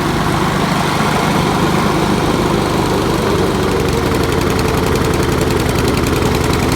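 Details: 20-year-old Honda HRB215 mower, air filter fitted, original carburetor after cleaning: uneven, loping beat that hunts instead of running crisp, like it is on choke. Running rich; a loose PVC breather tube to the block was also noticed; a carburetor swap later fixed it.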